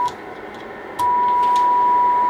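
A steady, clean single tone sits over faint hiss once the signal comes in; the receiver is picking it up clearly and working normally.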